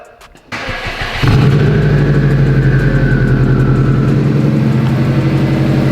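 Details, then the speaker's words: Subaru WRX after the exhaust leak was fixed with a new gasket and pipe: starter cranks briefly, engine settles into a smooth steady idle with an even low note and no exhaust ticking; way quieter than before. "Way better. It's quieter."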